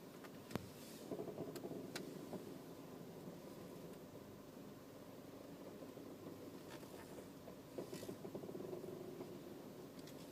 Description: Hearing a weird creaking or almost sounds like walking on a wood floorboard or old stairs sound when i am turning in my 2012 Equinox.